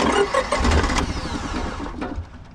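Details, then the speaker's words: Honda EV6010 generator in a '76 GMC Transmode motorhome: starter grinds and engine coughs but won't catch; fuel and water spit from exhaust, owner suspects stuck float or leaking needle and seat. "Still sounds promising. I think it needs to kind of throttle itself a little bit. It's trying to start."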